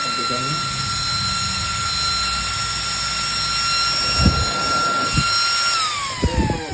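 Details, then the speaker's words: 12V 3.30A high-speed DC brushless ball-bearing fan: strong steady high whine with air rush at one pitch, then smooth wind-down; healthy fast fan running. "Ini kencang sekali. Terbang tuh. Kalau kita tahan seperti ini terbang."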